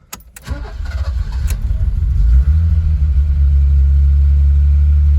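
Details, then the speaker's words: BMW E30 323i first start after sitting over a year, no radiator fitted, exhaust still covered: starter whirs, engine catches within a second and settles into a smooth, even idle. Normal start and idle. "Well, that hasn't been started for a good year. Year plus. So, and that sounds sweet."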